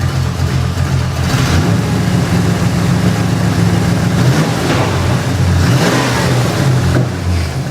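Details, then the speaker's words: 1989 Pontiac Trans Am GTA V8, warmed up and running for a minute; strong, steady low rumble with an even beat, firing cleanly on all eight cylinders, possibly with an aftermarket cam. "It's hitting on all eight. All right. All right. Well, it's been running for a minute."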